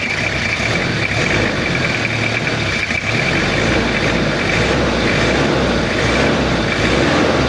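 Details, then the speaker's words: Toyota Kijang diesel after cylinder head repair for overheating and coolant overflow, injection pump re-set, idling cold before operating temperature: slightly rough but even, steady, uniform 1-2-3-4 clatter, no misses; healthy. "ini posisi dingin suaranya masih agak kasar soalnya solarnya masih dingin menggumpal dan belum ee suhu kerja tapi kalau untuk suaranya rata ya Lur tekteknya itu rata"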